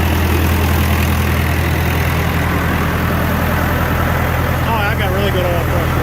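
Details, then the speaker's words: John Deere 450 diesel during break-in after in-frame rebuild, run at set rpm; deep, steady drone holding an even note with no knocks or rattles; running well, no bad noises; head re-torque and valve check planned after cool-down. "break in procedure is done um it's been running really well no bad noises"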